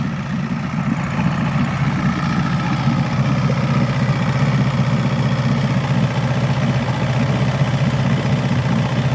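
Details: 1964 Glasspar Super G boat outboard after its second or third start of the day, tends to lose prime overnight: steady low burbling idle, even beat around four per second, no misses; normal idle.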